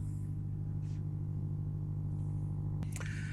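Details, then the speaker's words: Vacuum tube amp after tightening an input: steady 50 Hz hum with a buzzy edge, constant pitch, and a brief click near the end; output valves not red-plating; a ground problem is suspected, not confirmed. "switched her back on and she started to hum now the output valves are not red plating and we measured the hum it is 50 htz so it's not DC so we got probably got a ground problem somewhere"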